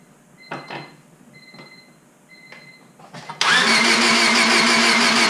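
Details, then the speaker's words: Rebuilt Honda Civic Si at first start after installing the valve cover and distributor. Light clicks, then steady cranking with no firing; no spark, with the igniter reading about 0.2 V. "Alright, so that's giving me basically nothing, like 0.2 volts or something like that. Basically nothing at all."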